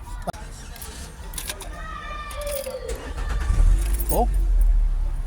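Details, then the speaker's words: 2005 Nissan Altima after fuel pump replacement for a hard-start problem: keys jangle, then the engine catches almost at once and settles into a steady low rumble; normal quick start. "Okay, start mo. Start na. Yes, normal yan."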